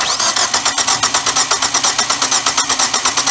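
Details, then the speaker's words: Engine compression test during cranking: brisk cranking at five or six beats a second with one weak beat; that cylinder reads about 75 psi versus 118–122 on the other three, from sticking piston rings, before Sea Foam treatment. "This cylinder here has some sticky rings. It's throwing about 75 pounds, I think."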